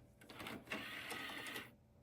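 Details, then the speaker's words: Curbside Dell Dimension 4300 running Windows XP, first bootup: brief dry buzzing chatter of the floppy drive head stepping for about a second and a half, no disk inserted; normal boot-time seek. "Oh, wow. That's so old school sounding."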